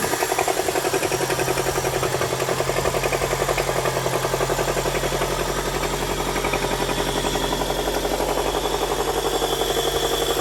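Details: Toyota 2ZZ-GE engine idling with steady sharp knocking, about three or four per second; owner thinks it sounds like rod knock but is unsure, cause not confirmed.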